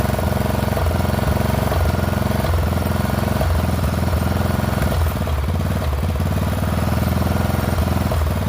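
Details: Poulan XT 12538 riding mower, 12.5 hp single-cylinder, 38-inch deck, warm, after replacing a carburetor that leaked fuel into the crankcase: loud thumping that stumbles and dips unevenly rather than holding steady. Rough running; owner suspects valve clearances are off.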